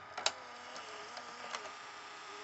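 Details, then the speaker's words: RCA VLP950HF VCR playing a tape, pressing play to load: very quiet transport hum with a few light clicks as the mechanism engages, no squeal or grinding; plays smoothly, though the pinch roller needs replacing. "it's a very quiet machine"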